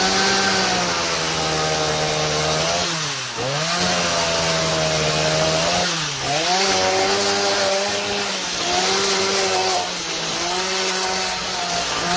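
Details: 2003 Stihl MS 290 Farm Boss 56.5cc two-stroke chainsaw, revived after cleaning clutch and air housing, cutting an old Christmas tree: strong steady high pitch, brief bog under load recovering cleanly; normal healthy cutting under load.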